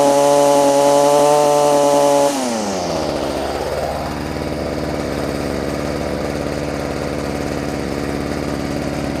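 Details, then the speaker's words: Stihl FS45 two-stroke trimmer with a new replacement carb, cold outdoors: it screams at full throttle, then drops to a steady idle after about two seconds. Owner suspects the high-speed mixture screw needs backing out slightly; not yet adjusted. "sounds like the high side might need to be pulled out just a little bit"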